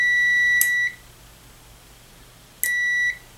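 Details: Arduino-controlled 12V relay for a treadmill linear actuator, multimeter on continuity across the switched contacts: steady high beep for about a quarter second, returning about two seconds later, showing the relay contacts closing properly.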